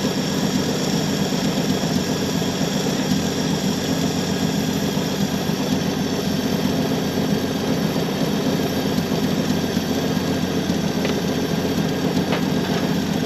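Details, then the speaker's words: 1966 Chevy Biscayne 4-door, straight-six with Powerglide, after sitting about 20 years; steady, even idle with a smooth low rumble, no knocks or misses. Runs good, a little smoky. Normal idle. "This thing runs good. It's a little smoky."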